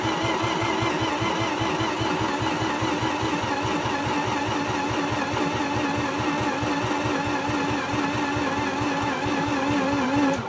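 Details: Mazda RX8 engine after rewiring and adding oil: steady starter churning at about five even pulses a second with no firing, on a weak battery; turns but never lights, spark plugs not connected.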